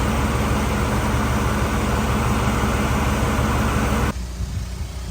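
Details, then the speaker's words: 1984 Camaro Z28 at idle with the A/C newly working, gauges on the R134 scale: steady even whir from the compressor and blower with no cycling or rattles. Air feels cold but could be colder; low side is above the target of about 40, so it may need a little more refrigerant. "might need a little more refrigerant also maybe moving with some air flow might help but it it's cold it feels cold maybe just could be a little bit colder"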